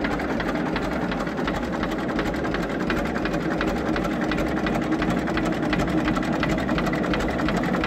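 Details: 1934 Deutz F2M315 tractor with 25/28 HP two-cylinder water-cooled Deutz diesel, first start in 10 years after a few failed attempts; slow, steady, evenly spaced chuffing at idle with no misses; a healthy, settled idle.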